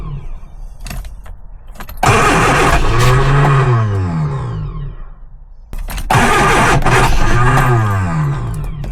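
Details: Lotus Elan after three years off the road, choke pulled, fuel added: two long cranking bursts, starter churning evenly with no catch or fire, slowing as the battery weakens; cranks but won't start.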